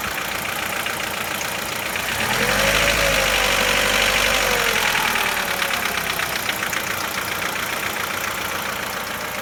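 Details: Chevrolet Lacetti 1.6 engine cold idle; steady tapping knock about four per second lingering through a brief rev, nearly inaudible once warm, cause unclear, engine knock when cold.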